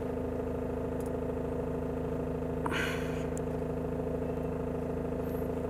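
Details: Mahindra XUV500 W8 diesel that cranked but wouldn't start with flashing check-engine light, now running after clearing codes P183F/P1832/P183B with a scanner: steady, even low idle hum, no misses or knocks.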